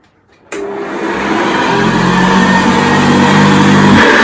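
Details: 1978 Hoover Senior Exclusive U4058 upright vacuum after repair and restoration, being pushed around: motor starts cleanly and climbs to a steady, even hum with no rattle from the brush roll; runs healthy.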